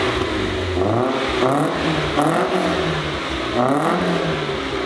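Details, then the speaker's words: Nissan S15 Silvia with a newly fitted exhaust, cold start: a few revs rising and falling cleanly with a smooth, moderate exhaust note and no knocks or rattles; normal cold-start revving. "dave you're not supposed to rev that much for a cold start it's an nas or you can't break down it sounds respectable not over the top"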